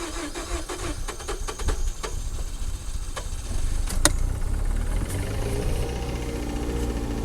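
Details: 2005 Mazda6 2.3 junkyard car, formerly no-crank no-start (owner suspects a bad ground blew fuses): starter cranks with uneven chugging, then the engine catches and settles into a steady, quiet run.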